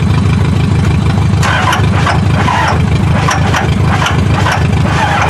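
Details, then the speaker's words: 2005 Duramax or 2006 Cummins diesel pickup, bought non-running, started on ether with a smoking battery positive terminal; heavy rough idle with hard knocks about three a second over a low diesel rumble; cause unknown. "sounds like some horrible knocking"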